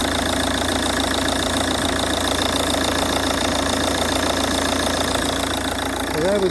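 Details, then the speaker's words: Ford Kuga Mk1 AWD 2.0 TDCi diesel (replacement engine) after a new auxiliary drive belt: steady, even idle with the previous engine-bay clatter and knocking gone. "so let's give the car a start and see if we still got that noise fingers crossed oh oh whoa whoa whoa no noise"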